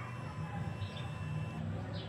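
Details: Honda Click 125 version 2 scooter cranks with a steady starter whir but won't start; fuses fine, battery 12 V dropping to 11.5 V while cranking; spark plug found wet, very dirty, with too wide a gap.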